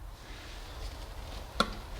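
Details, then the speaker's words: 1997 Toyota RAV4 4-cylinder, spark plug replacement: one sharp, crisp click over a quiet background as the ignition boot snaps over the bump onto the spark plug tip; spark plug boot correctly seated. "So on all of them, it should nicely click down on it. I show you why. It's basically correctly engaging on the tip of that spark plug."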